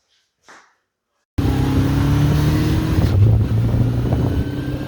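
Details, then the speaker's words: 1981 Honda CB750K four-cylinder, unrun for about ten years, after carburetor rebuild and idle adjustment via bottom screw: fires up crisp and settles into a steady, even drone with clean response; normal running. "I adjusted the carburetor idle via the screw on the bottom. Didn't really have to make any more adjustments other than that. So we're good to go."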